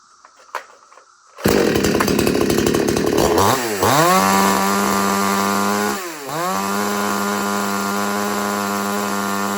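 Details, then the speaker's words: Craftsman ST5200 chainsaw after tuning, with the low and high jets turned about half a turn counterclockwise: it starts, blips twice, then holds a clean, steady full-RPM scream without bogging or surging. It runs well tuned. "But I'll start it up again and show you the way how I like it to run to run that way at full RPM speed."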